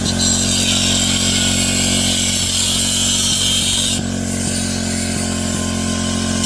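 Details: MVP 49cc Chinese scooter, once abandoned, after a carburetor upgrade, intake swap, and new spark plug and coil: small two-stroke buzzing high and steady, revving cleanly; running healthy.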